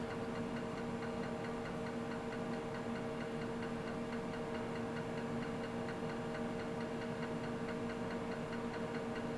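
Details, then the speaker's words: Tandy 10 MB Disk Cartridge System (re-labeled Iomega Bernoulli Box) on a TRS-80 Model 16B formatting a cartridge with diskutil: steady rhythmic ticking and soft chunking over faint whir as heads step track by track; formatted successfully, normal. "I never minded sitting there and just watching it count the percent up and format them count the tracks hear the drive chunk something therapeutic about it there was then too"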